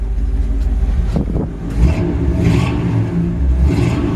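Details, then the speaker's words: '58 Biscayne V8 idling and blipped: a deep, even rumble that rises and settles cleanly with no knocks or leaks. The engine runs great and the exhaust sounds healthy. "really like the sound on that exhaust you hear the engine runs great"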